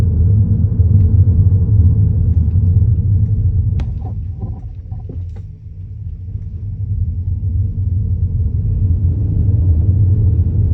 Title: Kia new niro clunking / rattling noise driving over speed bumps. Kia dealers can’t figure it out.